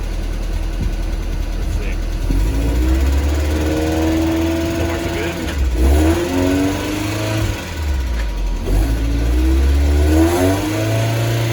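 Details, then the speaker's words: 1992 Mazda Miata on a test drive after a replacement differential was installed and filled with fluid: the engine climbs smoothly through the gears with no clunk, whine or knock from the rear. Differential is quiet and normal. "so far so good everything's quiet i mean as quiet as a miata gets"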